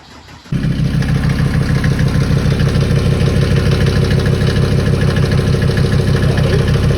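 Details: Mercedes 190D W201 diesel after stainless fuel line replacement and bleeding air, cold day: engine catches at once and settles into an even, steady diesel clatter with no misses or knocks, a healthy idle.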